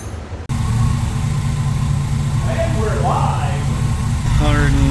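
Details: International Scout with a newly installed GM Performance 430 hp LS3 V8 and 6L80 transmission, idling on first fire-up after oil priming; a power-steering leak onto the alternator is being chased. Steady, even low rumble with no knocks or misses; idling smoothly and healthy.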